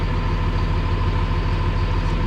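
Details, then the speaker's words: CAT 336 excavator reported not starting in cold after sitting, about 0 degrees: after slowish crank it fired right up; smooth even diesel idle, steady low throb, no misses or knocks. "Huh. And it fired right up. That's a classic."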